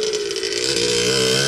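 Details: Suzuki RM60 two-stroke after carb cleaning, fresh gas/oil mix and chain reattachment and adjustment: short burst revving up, crisp buzzy note climbing smoothly without misses or knocks; runs clean and healthy.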